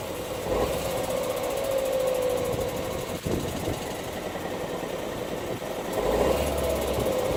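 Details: Ford Focus 1.5 EcoBoost petrol idling cold, running unevenly with stumbles and dips. The misfire usually clears once warm, and when it is logged it is normally in cylinder 3. It has had three sets of spark plugs in 10 months and 6,000 miles.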